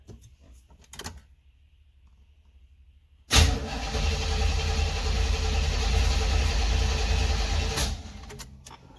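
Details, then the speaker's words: 1976 Corvette Stingray parked for years, first crank with new ignition cylinder, battery behind the seat, oil full but dirty, coolant low: about 4.5 seconds of strong, even cranking, no clicks or drag; turns over and builds oil pressure. "Okay. So she turns over, see if it builds any oil pressure."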